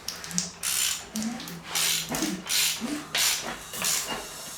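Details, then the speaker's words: Ford 302 V8 junkyard-truck rebuild with camshaft and cylinder head installed, no starter, engine loosely hand-cranked with a plug-hole gauge (not accurate test, about 40–50 on gauge); sharp even air hisses about every half second; good cylinder compression. "now this is by no means going to be a completely accurate compression desk the only reason why I'm putting that in there so I can feel what kind of compression it has and I will see a little bit on the gauge here"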